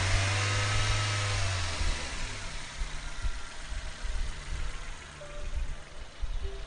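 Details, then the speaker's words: 2001 Nissan Almera N16 1.5 QG15DE petrol freshly started after oil and filter change: smooth idle swelling and falling with light throttle blips to circulate oil, no tapping or rattles; normal idle and gentle revving. "so starting the vehicle waiting for that oil pressure like to go out but a nice smooth idle and just revving the vehicle gently get the oil circulated around the energy"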